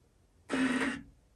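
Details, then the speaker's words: 1966 Jaguar E-Type roadster engine, long-sitting, being turned by hand a little at a time after pre-oiling: one short, dry rubbing squeal about half a second long; origin unidentified, followed by resistance. "we'll give them one more so they can hear that noise I don't know what that is it's odd"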